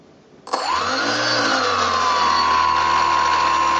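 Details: Skywalker RC model aircraft brushless outrunner prop motor on test jig, before balancing: spins up with falling whistle, then steady high whine with low humming drone; vibration from out-of-balance rotor.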